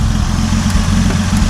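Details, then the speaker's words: 1950 Dodge Meadowbrook L-head flathead, warm (temps about 134–152°F), no muffler fitted: smooth even idle with deep loud exhaust note from missing muffler; engine itself sounds healthy, no noises heard. "Let it never be said that an L-head engine from 60 76 years ago can't run like a Singer sewing machine. That's uh That sounds really good."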